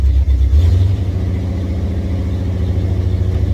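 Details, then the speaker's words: Classic, roughly 50-year-old Ford Bronco V8 with a new battery, running cold: a deep, uneven rumble that surges, then sags and wavers, and only keeps idling with throttle help until it warms up. Weak cold idle. "he's a little help for me to get keep it idling for a second minute once it gets warm"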